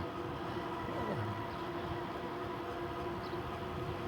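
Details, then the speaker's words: Euphree City Robin X e-bike riding on the road: a steady metallic buzz under the riding noise, owner suspects the metal fenders vibrating as the wheels roll; suggests plastic fenders would avoid it. "you hear that little buzzing that's that's the uh that's the fenders buzzing yeah I think what happens is the vibration um you know when your wheels and everything are moving along and just makes it Buzz"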